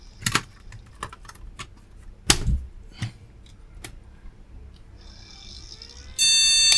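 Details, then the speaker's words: Retro AT-era PC, known-good RAM retried in the last memory slot after cleaning: handling clicks, then one long unbroken high beep at power-up; POST error, the board rejects memory in this slot. "nope still doesn't like this one okay error but no bleep that time"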